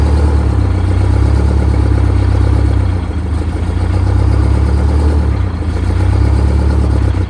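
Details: Detroit Diesel 92 series military-surplus engine, sat 20 years, just installed in a bus and first started after fuel priming: loud, deep diesel clatter holds steady with a brief dip near three seconds; fires and keeps running on its own.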